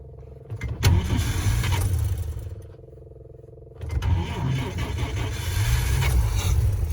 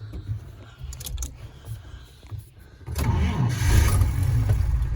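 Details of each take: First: Vintage carbureted car engine deliberately flooded with extra shots of fuel from the electric fuel pump into the float bowl. The starter churns about a second, hesitates, then cranks longer before catching and revving, versus an instant start earlier. Fuel smell; flooded-engine long cranking. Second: Vintage car engine hot start after sitting a couple hours, no throttle given: brief crank then instant start with no hesitation, settling into an even run; not flooded, a clean healthy hot start.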